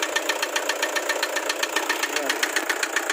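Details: Toyota Hiace Commuter with 2KD diesel at idle: sharp, steady metallic ticking knock at about 220 a minute. Cause not identified.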